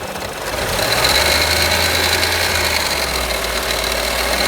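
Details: Audi A1 1.4 TFSI 185 hp petrol engine at idle: quick, uneven light tapping over a fairly loud hiss; abnormal engine noise, source unclear.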